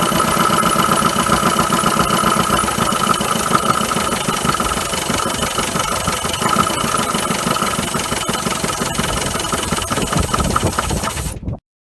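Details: 1980 Dodge Colt Challenger, carbureted, sat 15–20 years, mechanical fuel pump fed from a gas can not filling the float bowl: rough, uneven idle about eleven seconds, then suddenly dies; fuel starvation suspected, unconfirmed.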